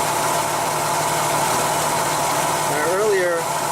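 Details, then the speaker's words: Intermittent random misfire under lab-scope diagnosis with a probe on the ignition coil wire; in this clip an even, steady idle with no skips or stumbles and a brief chirp near the end, no misfire seen or heard, running as it should. "I don't see a misfire I don't hear it either this running as it should be"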